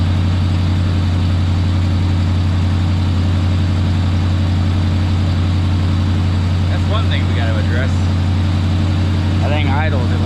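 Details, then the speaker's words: Chevrolet Monte Carlo, possibly an LS given an SS conversion, on a cold-start check: a steady drone held at about 1,300 rpm with no hunting. The idle is high but the engine runs pretty well. "1,300 RPM but uh runs pretty good"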